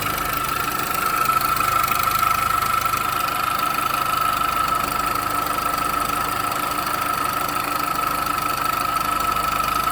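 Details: Engine idling after an engine mount replacement, noise still present: fixed high-pitched ring with a light, irregular tapping of about three per second; cause unclear.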